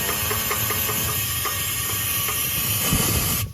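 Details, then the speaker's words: 1946 Gravely Model L, not run for about 5 years, fuel tank being blown out with compressed air: a loud hiss with scattered rattles of loose particles; the tank is clogged with rust debris. "that's nasty I can hear the whole tank is full of junk maybe I could put a vacuum cleaner in there and vacuum it out"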